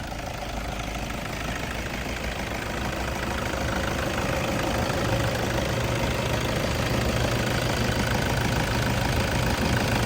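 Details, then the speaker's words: Toyota Hilux Vigo 2.5 E 2010 diesel (2494 cc), 54,000 km, 14 years old, started with all lights and fog lights on: even, steady diesel clatter at idle, no misses or hunting, no smoke from breather; normal healthy engine. "ไม่มีคนไม่มีไอครับเกณฑความดันไม่มีอะไรออกมานะครับนี่คือเครื่องดีปกติ"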